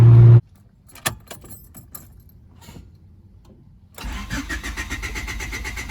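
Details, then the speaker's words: 1995 Honda Civic, crank no-start after stalling once warmed up: a few key clicks, then steady cranking that never catches. "try to start just kept on"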